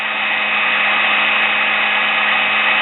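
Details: Sewing machine brush motor after cleaning and fixing brushes: smooth, steady whirr with even hiss and constant pitch, no catches or rattles; brushes seating in, sparking reduced, motor running cleanly.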